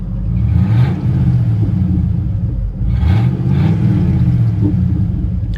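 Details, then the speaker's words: Ford F150 with 300,000 miles, running after topping up 6 quarts of transmission fluid, pulls smoothly under throttle with a loud, deep rumble and raspy edge from an exhaust leak. "It's got an exhaust leak. I'm sure you can hear that."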